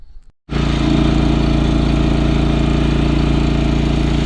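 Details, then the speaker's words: John Deere 445 riding mower, run a few minutes outdoors to get hot: engine fires and settles into an even, steady beat without misses or knocks; smoke has largely cleared. "it's been running a couple minutes now and the smoke's actually kind of cleared up to be honest"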